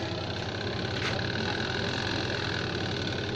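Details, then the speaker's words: Two-tub washing machine spin dryer after timer repair, running with a few clothes as load: steady, even motor hum with a light rattle from the spinning load; dryer and timer now working normally. "Nah, teman-teman bisa dengar bunyinya. Nah, ini sudah berfungsi. Alhamdulillah, timernya juga sudah berfungsi."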